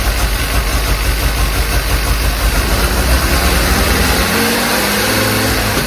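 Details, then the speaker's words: 1952 Jeep CJ5 with a rebuilt engine, new Daytona universal carburetor, coil, plugs, wires and distributor, after timing work: it holds a fast, even idle that never drops, and the owner suspects the throttle is sticking open. "I'm not too sure what's going on there. Sounds like the throttle is sticking open."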